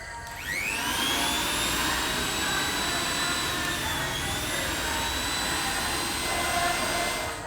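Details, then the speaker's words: Mixer grinder after repair of a dead-motor fault: motor spins up with a rising whine then settles into a steady even high hum, no grinding or sparking crackle; normal motor run. "Friends നമ്മുടെ mix ശരിയായിട്ടുണ്ട് എല്ലാവരും കണ്ടില്ലേ"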